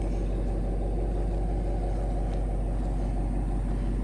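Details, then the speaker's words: Old Chevrolet Caprice with 4.3 V6 engine after repairs, needing a transmission: low, even idle rumble with no popping, backfiring or exhaust leak; normal idle. "You don't hear the engine like that. No more backfiring. No more exhaust leak."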